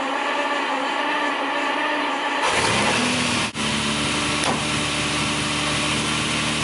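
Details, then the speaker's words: 1965 Ferrari 330 GT 2+2 V12, three carburetors, cold start after fuel pump fills carbs and a few throttle pumps: catches within a second and settles into a smooth, even idle. "I wait until I hear it a different sound come and then I know the cares are full and I give it some pumps on the on the um on the throttle just to feed pure fuel into the engine it should start"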